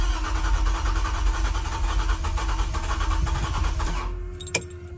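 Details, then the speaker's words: 1993 Toyota MR2 SW20 with newly swapped 2GR-FE V6, first start attempt after install, clutch in: fast uneven cranking with a steady tone, seems to want to catch but never fires; crank, no start, possibly a popped fuse. "sounds like it wants to maybe try and catch"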